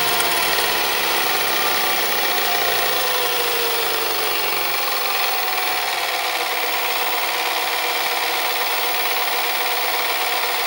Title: Panasonic NV-SD430 (garage sale find) noisy mechanism ??